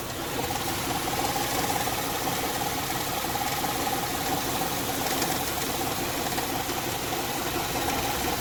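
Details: Warmed-up 2006 Honda Pilot idling in drive with the parking brake on, under load: light, fairly quick ticking. The recently installed timing belt tensioner was fine. Solved by replacing the worn drive belt (idler) tensioner.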